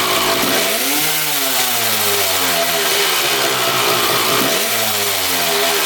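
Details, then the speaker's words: 1995 Honda CR250 two-stroke blipped twice, revs climbing slowly and flat instead of snapping up; bog caused by exhaust power valves stuck closed, power valve shaft not rotating on throttle. "that vertical line on the shaft there is supposed to go horizontal as you hit the throttle and those power valves are supposed to open they're not opening at all"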